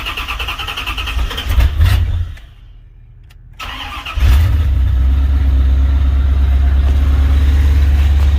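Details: Chevy Caprice LT1 V8 started cold after replacing one fuel injector, O2 sensors unhooked: starter catches, flares, settles into loud chuffing low idle about three pulses a second; big manifold exhaust leak.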